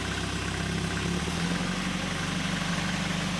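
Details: 1964 Triumph TR4 after tachometer rebuild and Lucas 30w ZDDP oil, idling after start with tach working (likely reading low), plenty of oil pressure: steady, even low idle, no ticking, knocking or hunting. Normal idle.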